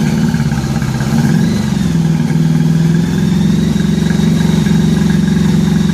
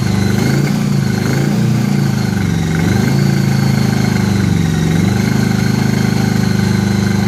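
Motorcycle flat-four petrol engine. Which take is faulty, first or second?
second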